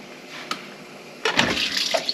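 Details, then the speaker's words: Dishwasher after water inlet valve replacement (Whirlpool W10648041), at normal cycle start: a quiet tick, then strong hissing water rushing in; before the repair it only hummed and no water entered. "and now becky is going to run a cycle normal start hear the water that's the noise okay"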